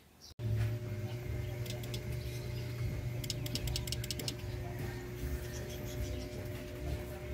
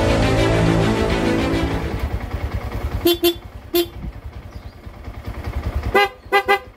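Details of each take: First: Yamaha Sniper 150 idling: pressing horn button gives only quick bursts of relay clicks, no dual loud horn blast; handlebar switches also miswired, all feeding the eyeline light; horn relay clicks but horn stays silent. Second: Yamaha Sniper 150 dual contact horn after repair of faulty halo switches and rewiring of brittle wires: six short, clear toots over a low idling engine; horn now works normally.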